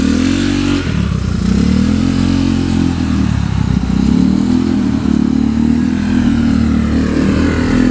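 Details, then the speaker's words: Honda Vario 110 carbureted scooter with new R-One standard-racing exhaust, riding: deep muffled drone with throttle, carburetor intake roar and engine noise more audible than the exhaust itself; power still felt, healthy. "tapi untuk suara yang lebih terdengar itu suara raungan karbu dan juga scin jadi suara si knalpotnya itu lebih saru lah y"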